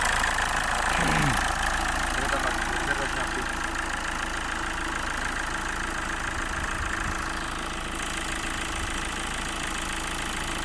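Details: Hyundai Accent CRDi diesel that cranked but wouldn't start, running after the CP1 pump fix: even clatter at steady idle, about three beats a second, no misfire or stumble. Idling normally.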